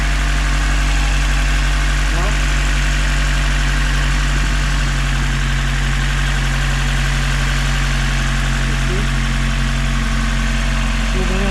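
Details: Honda K24A-swapped EM2 Civic coupe after installing Drag Cartel drop-in cams, new injectors and valve lash adjustment, still warming up; steady four-cylinder idle, constant low drone, no top-end ticking. Normal idle.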